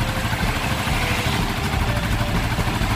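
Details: Yamaha Vixion (old model) after cleaning the corroded ignition-key socket that made it die on the road; charging checked at 14 V revved: steady, even idle with a low putter, no knocks or rattles; running normally.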